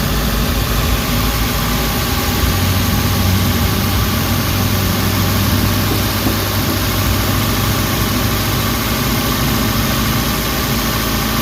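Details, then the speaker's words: Suzuki Carry with low power and knocking, warm, under two minutes after adding XADO engine treatment and raising rpm slightly: vibration gone, steady, even, smooth idle with no knock or shake. "medyo smooth naung 'yung takbo ng makina."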